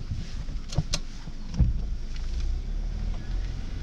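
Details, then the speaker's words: Budget Suzuki Ignis petrol car on a Scotland road trip, engine warning light now gone and fan belt squeak stopped: even low drone pulling away over road rumble, no squeal or chirp; normal running. "EML has vanished, and she's running sweet again. No more fan belts squeaking."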